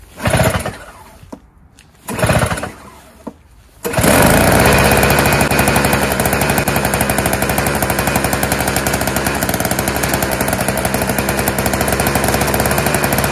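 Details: Junk single-stage Tecumseh snowblower with bowl carburetor, no electric start, pull-started: after a few pulls it catches and runs with a harsh, hammering, uneven beat; rough running.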